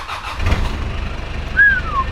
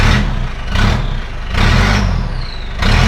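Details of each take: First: Australian 4WD diesel with manual gearbox and 297,000 km, in neutral and a little cold, glowed then started. Brief crank, then it catches quickly into an even diesel clatter with no misses. Compression sounds mint with no blow-by; the exhaust has a rust hole. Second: Australian 4WD with 2.5 turbo diesel, 297,000 km, good compression and no blow-by; exhaust has a big rust hole and was cut off about halfway, so a loud, raw open diesel beat surges about once a second.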